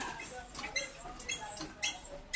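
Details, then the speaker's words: Honda CB125 Hornet: high, thin squeaks chirp in uneven bursts while moving, from the rear shock joint; noise persisted even after the frame nut was lubed. "So guys, अगर आपने new bike ली हो और जो कि hornet या फिर कोई भी न्यू बाइक हो जिससे चलाते वक्त या फिर सस्पेंशन से या फ्रेम से आवाज़ आता है ना"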